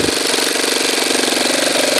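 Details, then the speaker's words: Saito twin-cylinder glow engine buzzing rapidly at low throttle, firing slightly uneven, sputtering and backfiring a little, spitting fuel out of the carburetor. "Backfiring a little bit. Hear it sputtering a little"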